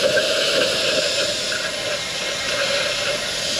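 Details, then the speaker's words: Freightliner M2 rear-axle air bag: constant sharp hiss, no engine running, as compressed air escapes through hairline cracks under the bag; truck leaks down within five minutes after parking; air bag and leveling valve being replaced. "a little hairline crack right there is causing is what air is leaking out"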